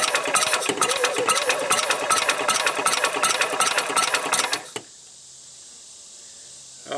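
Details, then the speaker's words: 1990 Club Car golf cart engine, starting fluid squirted in, no exhaust fitted, in neutral: sluggish, labored cranking under three strokes a second for nearly five seconds, then silence; slow cranking, weak battery suspected. "might need to juice up the battery it not turning over very fast"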